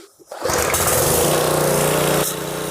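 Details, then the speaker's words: Craftsman 550 pressure washer, about 5.5 hp, Briggs plastic carburetor varnished after a winter sitting with fuel; after carb cleaning, primed and pulled, it catches and settles into a steady, even buzzing run with no sputter or hunting: normal running. "just make sure that she runs and it shuts off when you turn the switch off that means that we hooked it up right"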